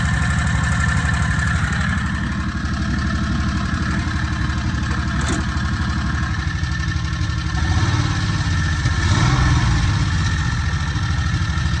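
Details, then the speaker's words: Predator 670 22HP V-twin golf cart engine, warm, mid carburetor adjustment from about 1800 rpm toward a 1200–1300 target. A steady, fast-paced idle with an even low thump and no misses. Idle still slightly high. "all right so so far down to about 200 rpm roughly we want to try and get down to like 12 to 1300 would be ideal"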